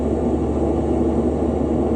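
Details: Refrigerant leak pinpointed with an ACCUTRAK VPE ultrasonic detector played through a Bluetooth speaker, on a system with only 225 psi standing pressure, after an H10 detector also alarmed in the area: a steady, even rushing hiss holds level right at the leak spot.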